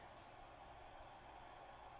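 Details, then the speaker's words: Magnavox MDR865H/F7 HDD/DVD recorder that won't play from its hard disk: only a quiet, steady fan hiss with no spin-up whir or head seeks. The internal hard drive isn't running and is possibly bad. "I'm not sure I even hear it running. I hear a fan and that's about it."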